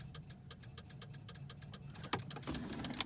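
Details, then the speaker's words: C5 Corvette no-start with low voltage/charge system fault, battery reading 12 volts, suspected ignition switch: rapid ticking about three clicks a second from relays, engine not running; relay clicking with no-start. "all right so let me go in which I started making noises trash system fault click from the relays something's making noise"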